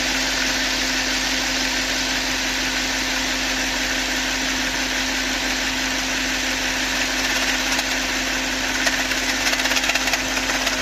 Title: Phaeton V8 komisches Geräusch Nockenwellenversteller?